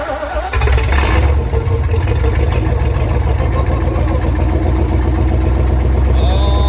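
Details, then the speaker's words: 1964 Chevy 283 small-block V8 in a 1981 Jeep CJ5, first start after priming the carburetor: brief crank then loud steady rumbling idle, rowdy; no vacuum or fuel leaks heard, idle mixture about right. "it's running sounds good [Music] too oh yeah that thing is Rowdy sounding no vacuum leaks that I can hear no fuel leaks so that's good"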